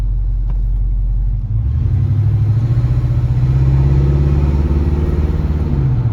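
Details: 1968 Ford LTD Brougham 390-2V V8 with Flowmaster exhaust after rebuilding the Motorcraft/Autolite 2100 carburetor (corroded accelerator pump and power valve): deep, steady, even idle, no misses.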